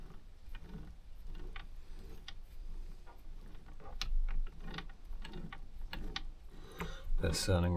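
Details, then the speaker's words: Kubota B7100 tractor gearbox rolled slowly by hand during reassembly after chewed-up gears and bearings were replaced: light, irregular clicks and soft ratcheting with no grinding; it sounds a lot better than before. "now yeah that's sounding a lot better than it was before"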